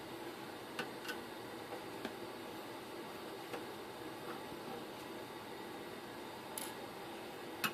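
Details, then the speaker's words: Netgear network switch cooling fan: soft hiss broken by irregular sharp ticks about every second, a worn fan bearing starting to fail; bearings were lubricated but fan not expected to last. "so we're going to take it down and see if we can figure out what's making that awful awful noise"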